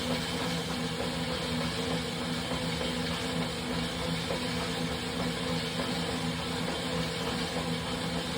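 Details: Wahoo Kickr Rollr bike roller trainer after ~2 minutes of warm-up squealing subsides; steady low hum with loose uneven knocking throughout the ride.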